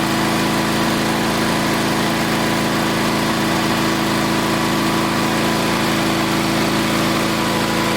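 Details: Old Onan twin engine just after replacing points and condenser, started at half throttle: steady even drone, no popping, sputtering, backfires or arcing; runs clean, carburetor needs slight fine-tuning.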